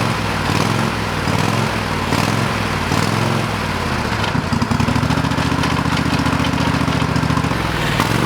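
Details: Old lawn mower, still on old gas in the tank: small engine putters evenly, steadying further midway with a clean firm beat and no stumbles; running normally.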